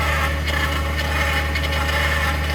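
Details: 2021 Ford F-150 PowerBoost remote cold-started at -16°C: loud steady low drone with a rough grinding, cavitating edge right after start. It only occurs at about -11°C and below, and Ford has not found the cause.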